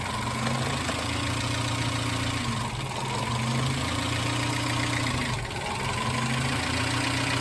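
The idle hunts and stumbles, dipping roughly every two to three seconds with uneven beats. That is a misfire at idle.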